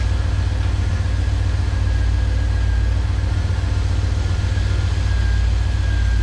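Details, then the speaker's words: 1985 IROC Camaro after replacing an alternator with a bad bearing: steady, smooth idle with no whine or bearing growl, the earlier noise gone and charging at 14.27 V. "so already that's a lot quieter i can just tell that the worrying noise is gone"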